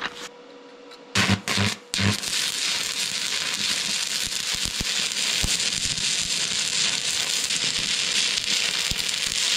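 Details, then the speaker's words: Vevor MIG-250 stick welding with a 4 mm electrode at up to 180 A (unit rated to 200 A stick): steady, dense frying crackle with no sputtering or breaks after a couple of strikes; a stable arc that handled the thick rod well. "Niimoodi teete sitast saia Tegelt, arvestades varda paksust, sai ta hästi hakkama"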